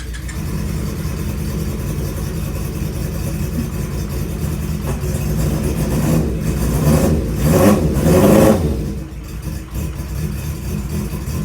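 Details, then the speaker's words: Honda CB550 four-cylinder cafe racer project, first start after unknown time sitting, on choke, on stand: catches easily, idles a bit unevenly, quick rev rises and drops back; owner thinks a little adjusting is needed, maybe set idle. "And it sounds like I have a little bit of adjusting to do, maybe set idle or something, but not too bad."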